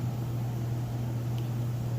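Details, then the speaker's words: Whirlpool Cabrio electric dryer, all bearings replaced and serviced, running on normal with heat good (heating element tube a little over 200 degrees); steady low even hum, no vibration, rattle, knock or scraping. Quiet, normal running. "Heat's good, lights works, very clean. You can see here. Very quiet. No vibration, no rattle whatsoever."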